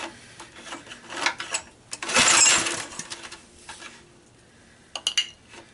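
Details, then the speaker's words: Honda EG1400 backup generator, not started in a while: several rasping recoil pulls with clanks, never fires; fuel not getting through plugged carburetor inlet / clogged fuel valve. "this is one of my backup generators and I want to start it and it said no go so I'm going to give it another try"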